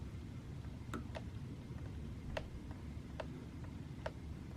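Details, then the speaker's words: Sur Ron Light Bee with EMXRON controller after overheating at an enduro race, in sport mode; sharp uneven clicks about once a second, no motor drive; owner suspects the controller, motor or controller unclear; clicking, motor won't turn. "put in sport mode yeah nothing so you can hear it makes a clicking sound"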